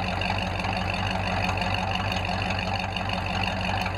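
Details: Ford F5 (American V8) started after a long layoff and a check of engine oil, ATF and coolant: steady, even idle burble with a smooth regular pulse, no tapping or misfire; healthy.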